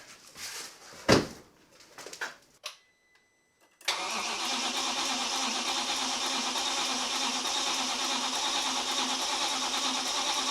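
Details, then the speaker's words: B6 Audi S4 4.2L chain-driven V8 after six-month rebuild, first start attempt with much left unplugged: starter spins the engine at an even rhythm for several seconds but it never catches; crankshaft position sensor not fitted. "So, you just heard it cranking. You obviously didn't hear it start. So, we have things to work on."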